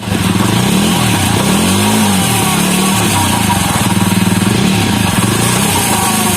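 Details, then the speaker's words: Jawa Perak running after the loose rear sprocket nuts were tightened with a 6 mm Allen key: even, steady beat with no knocking from chain or sprocket; drive now smooth and tight. "यदि नट ढीला रहेगा तो इस तरह का आवाज होगा, और नट टाइट कर दीजिएगा तो इस तरह से आवाज नहीं होगा।"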